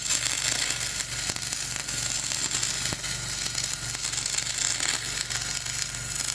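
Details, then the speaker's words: Dual-shield flux-cored welding on a preheated outrigger pad, voltage up half a volt, over a ropey stick weld, Trailblazer one notch up on RPM: steady crackling sizzle with irregular pops and sputters, rough uneven arc; welder dislikes the weld, blames the ropey stick weld underneath. "Yeah, I don't like the way that's welding."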